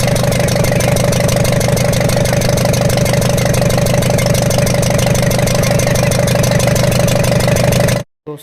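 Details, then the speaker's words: Ashok Leyland Captain BS4 N4 diesel truck with smoke, pickup loss and raw diesel from rear cylinder; hard regular knock about three per second at idle, injector-like; dropped valve bridge on rear first rocker. "देखिए हमें जो है वाल bridge की problem मिली है जो हमारा पीछे से रियर साइड से फर्स्ट रॉकर आता है उसकी जो है वाल ब्रिज निकल के सटक के गिर गई थी दोस्तों उसके कारण यह साउंड बन रहा था"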